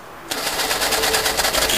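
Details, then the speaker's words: 1952 Fordson E83W pickup with 100E engine, stored since 1982, freed from seizure (two stuck pistons, two stuck valves removed), choke used: catches into a quick, even, slightly rough patter firing steadily; first run in 27 years. "Lives again. What is it, about 20 years? More than that."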